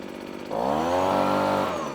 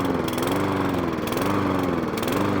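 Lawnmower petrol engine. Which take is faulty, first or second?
second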